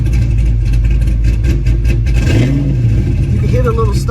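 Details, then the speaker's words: Pontiac GTO, warm, before changing the spark plugs: steady low rumble sags and wavers as the throttle is eased in, nearly stalling, a hesitation off idle. Owner suspects the spark plugs; not confirmed. "see that it's almost like he's about to die"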